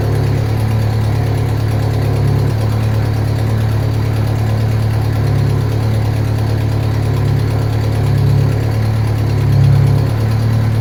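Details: Turbocharged car just reassembled after a head rebuild, first start, boost controller plumbed: rough low idle with deep uneven chuffing about four times a second; owner suspects a bad exhaust leak, probably the downpipe, which has no gasket, plus other bad gaskets.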